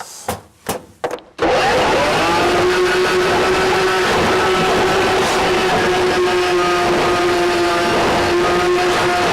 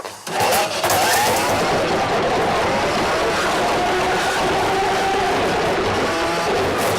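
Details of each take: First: RIDGID K7500 drum drain cleaner, universal motor, 3/4 inch inner-core cable, run manually at an obstruction: loud steady whine that sags in pitch as the cable bites into the blockage, showing it is working. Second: since this has a universal motor you are going to get an audible signal as this thing starts to work so you will hear the motor whine and it's fine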